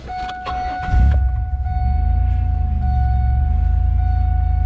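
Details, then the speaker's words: Pontiac Grand Prix after the power steering fluid was flushed and refilled with new fluid: at steady idle the pump runs much quieter, with only a faint even whine. Normal power steering pump. "I can tell that it's already much quieter than it was [Music] earlier"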